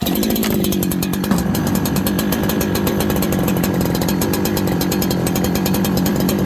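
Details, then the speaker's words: Farmertec 288 kit chainsaw, after oil pump repair and carb idle adjustment so the clutch does not engage: starts on one pull and idles slow, smooth and even with crisp regular firing, no stumbling or hunting; normal idle. "okay now my experience with this saw is it'll idle pretty slow so now restart it should start one pull okay one pull"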